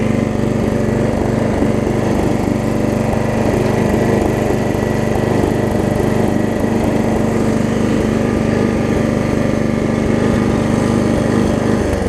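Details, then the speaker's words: Snapper 28" rear-engine rider, small single-cylinder pull-start engine after a new pull rope, restarted; steady, even putter with no misses or knocks, runs smoothly; owner unsure whether the choke arm works properly. "yep so seems like it's doing alright"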